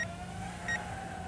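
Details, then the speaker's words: UDI U31W Navigator WiFi FPV drone in flight; over the steady buzz of its small motors a short high beep repeats about every 0.7 seconds, the LVC low-battery warning, before the drone lands itself. "LVC warning. Can you guys hear that?"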